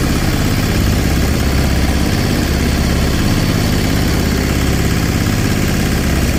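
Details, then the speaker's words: Sailboat diesel inboard conversion, version 3.0 with a new, longer belt drive, at idle: steady, even low chug with no knocks or rattles. Much quieter with less vibration; normal idle. "Uh it's much quieter, much less vibration free with the new belt drive."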